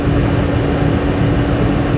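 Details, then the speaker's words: Dyna Glo 220/180 BTU forced-air torpedo heater burning diesel, thermostat set to 80 degrees in a pole barn: steady, even roar with a constant low hum, no sputtering or surging; heater running normally and putting out big heat. "So there she goes, it's running. I think that's going to heat it up in here pretty quick. That's putting out some really big heat."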